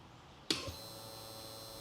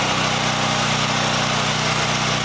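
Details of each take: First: Fuel-injected (EFI) generator that stopped running after an impact dented the tank; pump sits under a cover. A sharp click, then a thin steady electric whir as the pump primes and cycles. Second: Champion EFI generator after an easy fuel pump fix. Even, steady engine drone with a firm low beat, then winding down smoothly on shutdown: normal running.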